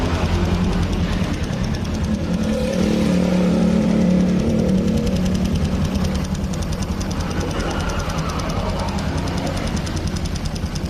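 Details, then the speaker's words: Old carbureted Honda Supra X 125 after new bore, valves and cam chain tensioner: rough fast ticking chatter at both low and high rpm, appearing weeks after the rebuild; excessive valve clearance giving tappet noise. "Nah ini teman-teman bisa denger ini mau RPM bawah mau RPM tinggi ini suaranya tetap ada"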